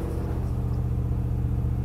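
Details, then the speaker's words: 1999 Land Cruiser 100 series, crank-no-start fixed by repairing crankshaft position sensor wiring: a deep, even rumble held at a raised speed; high idle from a misadjusted throttle position sensor. "only issues I need to adjust a throttle position sensor as you can see it's revin Oh"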